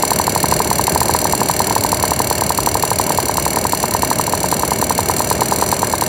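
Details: Piaggio NRG two-stroke scooter after a new crank, new crank bearings and a cheap 70cc big-bore kit idles with a sharp ticking, about eight a second, seemingly from the top end; piston confirmed not hitting the head.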